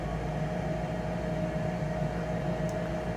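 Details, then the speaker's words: Rheem/Ruud gas forced-air furnace showing Error 57, thermostat calling for heat: inducer fan runs with a steady constant hum for a while but no burner whoosh follows; burners never light. "It's been running for, I don't know, a little while now. And by now, I should have heard the burners come on. So they are not turning on."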